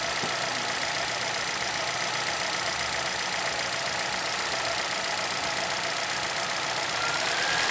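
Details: 2011 Chevrolet Celta VHCE Spirit engine at steady idle with a bright, rapid, uneven clatter about four beats a second; owner asks about the noise, source unknown.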